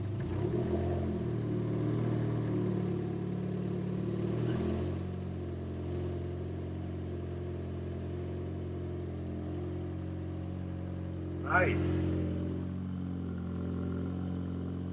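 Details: Turbo 1.6 Miata on first start with an NB6 intake manifold, Skunk2 throttle body and -6AN fuel lines, running very rich: revs sag after a blip, then a lumpy idle barely hangs on; the idle screw probably needs adjusting.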